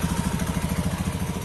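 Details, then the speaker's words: Honda Beat FI ESP injection automatic scooter idling after CVT repair with cover closed: quick, even putter with no knocking, rattle or grinding from belt side; smoother than before, normal idle. "eh setelah tutup cover CVT tutup mesin dihidupkan suaranya lebih halus lagi"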